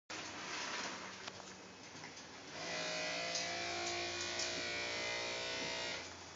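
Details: 2012 Lincoln MKZ hybrid, cabin: steady electric buzz with hum, swelling midway, when brake pedal pressure is applied or released with gas engine off at low speed; normal brake vacuum pump running on battery.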